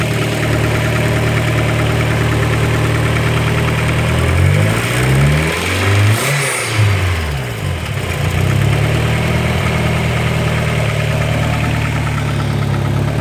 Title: More "not lifter tick"